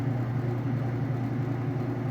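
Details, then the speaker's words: Whirlpool direct-drive washer in its final spin at speed; a smooth, steady low hum with no thumping or grinding; the tester says it sounds great, with nice smooth operation. "sounds great, nice smooth operation."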